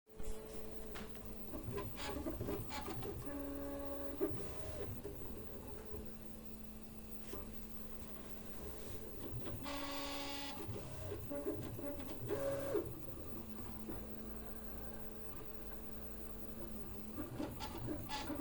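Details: Prusa MK3S+ in stealth mode, with freshly replaced and oiled linear rails and bearings, whirs through shifting stepper tones with a harsh, buzzy rattling/grinding under moves; calibration finds no faults, prints are fine, cause unknown.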